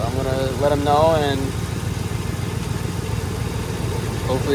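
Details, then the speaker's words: 2005 Ford F-150 4.6L V8, at idle after refitting parts: irregular low shake with occasional stumble, misfire persists; worn coil boot with coolant getting in, intake manifold suspected but not confirmed. "There goes that. One more shake. One more misfire. That was uh that was it."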